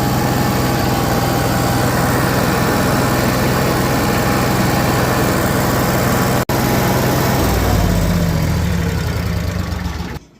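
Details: Cummins Onan Marquis Gold 5500-watt RV generator, revived after sitting about 20 years, after recharging jump pack/battery: fires and settles into a steady even drone with no hunting or misses, runs smoothly, then shuts down.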